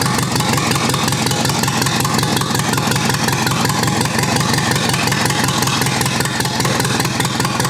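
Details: Rough, uneven loping idle on the freshly rebuilt U23 engine ("Old Rusty") at its first start after 25 years, beating about twice a second and close to stalling; the carburetor is not yet giving enough fuel at idle and needs adjusting.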